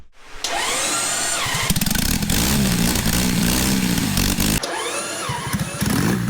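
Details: Custom supercharged Triumph motorcycle (Born Free build, frame backbone as oil tank), first fire-up after two years: catches after a brief crank, then sharp rev blips with rising supercharger whine, running clean; healthy startup and revving.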